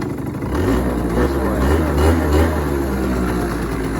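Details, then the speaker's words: Yamaha Zuma 50 two-stroke scooter idling with an uneven rattle over the putter; starter clutch noise heard only at idle; electric starter also not working. "and the electric starter not working as well as the starter clutch noise you can hear only at item"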